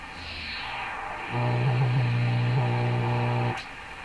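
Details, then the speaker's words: Hammarlund SP-600 receiver while tuning across shortwave bands: steady hum jumps to a loud buzzing tone with overtones for two seconds, then drops; radio breaking into oscillation, a feedback-like loop. "into oscillation because it's tuned itself in so there's a a loop now with a bit of amplification in it I guess you can call that feedback really kind of like a almost like audio feedback"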